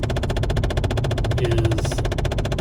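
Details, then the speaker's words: Hot car driving: fast, even tapping about fourteen clicks a second from behind the dashboard over road rumble, brief; owner suspects a temperature blend door actuator, not confirmed. "if it's on the passenger side i have to take out the glove box and a little panel to get access to it on that side and what that does is it controls the temperature and it doesn't stay on long but it does come o"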